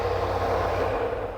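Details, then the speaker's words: Range Rover V8 510 hp, first start of the day, engine idling down after a fast start: steady low idle with an odd rough growl or knock behind the V8 note, mechanic suspects a bearing knocking. "e só ouvi um barulho esquisito que está aqui brian a há uma espécie de um ranking estão vendo"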